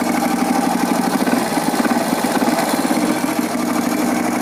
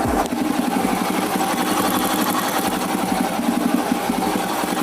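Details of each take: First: Honda motorcycle engine at idle before valve adjustment; light, quick "tak-tik" ticking over the idle from incorrect valve clearance, needs valve adjustment. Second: Honda motorcycle engine idling after valve clearance adjustment; even, quick idle beat with the earlier ticking gone, smoother than before, then shuts off; adjustment successful.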